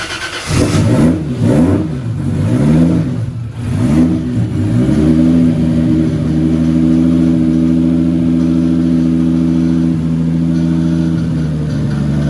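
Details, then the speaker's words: Nissan 240 with newly installed stock 1GZ engine, restarted after an initial misfire cleared (owner thinks old fuel flushed out): several quick blips rising and falling cleanly, settling into a steady smooth idle without misses; runs healthy. "I didn't get it on film, unfortunately, but I'll start it up again. You guys can hear the new stock 1GZ."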